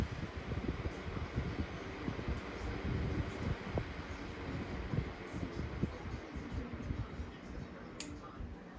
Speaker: This one seems to be pushing air out like it should.